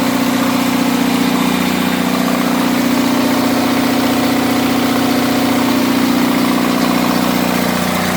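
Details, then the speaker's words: Onan 6.0 DJB-MS diesel genset with SX-460 AVR, running on a load bank at 6 kilowatts for an extended time: steady, even drone with firm low hum, no knocks or misses; normal running under load. "Again, we're running at 6 kilowatts for quite some time now."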